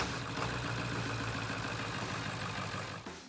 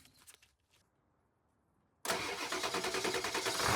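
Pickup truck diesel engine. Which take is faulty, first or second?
first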